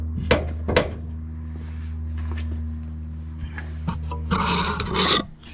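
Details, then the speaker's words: Cobra Daytona build, passenger rear suspension, car on the ground being rocked with the microphone underneath: dry rasping creaks in short bursts over a low hum, the same sound as before but quieter. A bad rod end is suspected. "so it's definitely not as loud it's the same sound but it's not as loud i'm thinking that that rod end might be bad"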